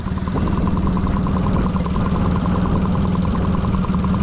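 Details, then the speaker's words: Mercury 40–60HP FourStroke EFI outboard that had high idle and stalling, after a throttle body swap: steady even idle with the IAC valve chirping as it should, dropping back to idle without hesitation. "Same day, the engine I was putting the original throttle body on is now idling away."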